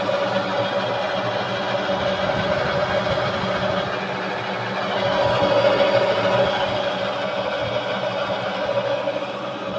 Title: O que pode ser esse barulho no motor #shorts